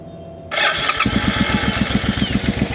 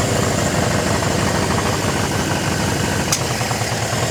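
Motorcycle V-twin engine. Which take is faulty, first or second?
first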